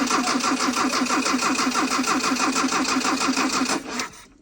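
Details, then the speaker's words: 1981 Dodge Challenger four-cylinder with Weber carb, off the road for years, cranked via starter crank circuit with a power probe: brisk, even cranking for about four seconds, sounds like an 80s Japanese four; normal cranking. "okay well it sounds fine I guess SS like a dinky Japanese four-cylinder from the 80s"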